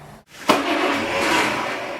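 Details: BMC Wolseley Farina 24/80 during restoration: a quick crank, then the engine fires and settles into an even run within a second. A clean, easy start, though a bit of tappet noise is noted and the exhaust exits underneath.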